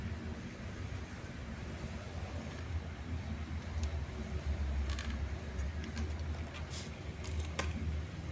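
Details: RC rock crawler that would not drive forward or reverse, after replacing the motor plate and resoldering wires, motor spun on battery; low even hum and gear rustle, no catches or knocks; motor and gears run smoothly.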